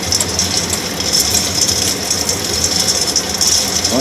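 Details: Axeman-Anderson 130 coal stoker heating a roughly 260-gallon Mahoning 500 wood boiler, one week in: even, unhurried clicking of the feed ratchet, two to three teeth per stroke, over steady fan hiss; normal feed, no binding.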